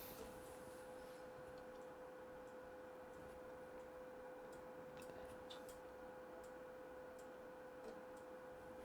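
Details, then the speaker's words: PlayStation 2 spinning a disc it cannot read: a quiet steady whir with faint soft ticks as the lens searches, then stops; a dirty laser lens. "So, it's determined it cannot read any anything on this disc. So, like I said, first step is I'm going to try and clean up the laser just in case the laser's got any dust and debris on it"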